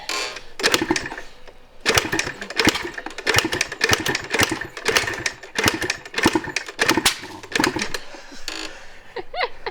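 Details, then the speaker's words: 1986 Yamaha IT200 two-stroke dirt bike after about 90–120 kicks: irregular sharp pops and barks between kicks, like a hit-and-miss engine, never catching into a steady run; fires intermittently but won't start. "She's a barker. Sounds like the old hit and miss engines. Take me back to 1910."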